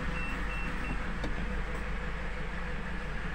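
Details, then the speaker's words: Nissan X-Trail T31 CVT filled with the wrong fluid: a low steady groan in gear and weak pull in both D and R, with the engine also running slightly rough. "tidak ada tenaganya teman-teman Tidak ada tenaga tapi terdengar suara seperti ini ya dengengar suara seperti itu ng seperti itu ya"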